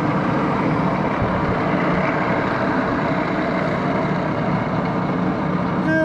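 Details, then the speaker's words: 1941 Axelson 24-speed lathe, idle up to five years, headstock oil circulating: steady, even mechanical hum at about 200 rpm in a slower speed of the high range, no knocks or grinding; running much quieter, normal running at low speed. "you could get back down in that lower speed you really got to muscle the levers on an axle sound yeah that's probably about 200 rpm but slower speed in the high range yeah looking good"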